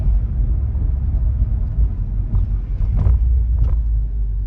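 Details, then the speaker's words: BMW M140i test drive after fitting a Scorpion OPF-back exhaust: steady low road rumble with no clangs or knocks from underneath. The noise heard before is gone and the exhaust sits quiet and secure. "And so far, no noise where I know that was making a noise before."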